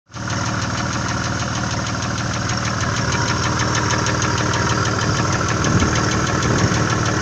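Steady V6 idle with a light, fast ticking riding on top, about four per second, typical of noisy hydraulic lifters and worn cam lobes.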